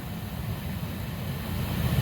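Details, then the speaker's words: Saturn Astra blower with key on and AC on, after a cabin air filter replacement: steady low airy fan rumble with no clicks or rattles from debris; blower sounds fine. "but right now everything sounds fine"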